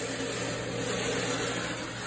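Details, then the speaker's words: Frigidaire Gallery dryer, loud and not drying well, listened at the rear: steady harsh metal-on-metal rasp over the drum rumble at the back of the drum, from the broken heating element housing dragging on the drum. "i got some metal on metal grinding in the rear of the drum"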